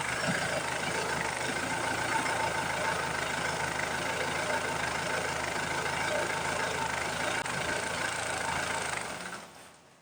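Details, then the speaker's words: Ford Transit MK7 van, engine warming up after a cold start: runs roughly and unevenly at idle for about nine seconds, then stalls to silence; won't hold idle while warming. "Now, when the engine is warming up, it won't stay in idle and it shuts down after some seconds."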